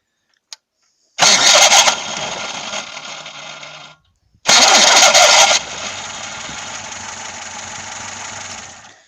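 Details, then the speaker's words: VAZ 2106 starter squeal during cranking, engine warm (worse when cold): two starts with harsh high screech and slipping, then idle; starter recently serviced and lubricated; fixed by replacing the bendix (starter drive). "а пока вот просто хочу продемонстрировать хотя бы на несколько секунд какой звук он издаёт противный это ещё получается двигатель прогретый А когда на холодную он вообще скрипит"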